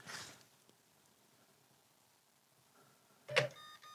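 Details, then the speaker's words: Sony BDP-S490 Blu-ray player, long dead, plugged in after repair: a short sharp click and faint high ticks as power comes on, then quiet; the normal start-up sound it always made. "Like I say, it's always done like a clicking noise or a Oh, yeah. Like a little ticking clicky noise when power goes into it."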